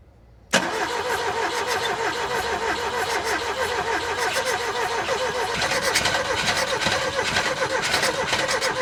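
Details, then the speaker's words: Ford Taunus/Cortina fastback coupe, unstarted 40 years, 40-year-old fuel, swapped-in NGK plugs, cranked from the starter with brake clean: steady rapid churning with even compression, never catches; bad fuel suspected. "I really regret not just dumping the fuel and changing it now, because this is bad fuel, I think."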